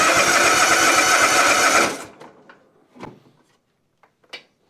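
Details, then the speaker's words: Toro Titan ZX6020 zero-turn, Kawasaki FR730V V-twin, with no power and bogging or dying under load: a short burst of choppy, lopsided thumps and then shutdown; rough running from one cylinder suspected not firing, with the left side showing no spark, not yet confirmed. "So to a trained ear as I was bringing it in, that's the first thing I thought. One cylinder is not firing."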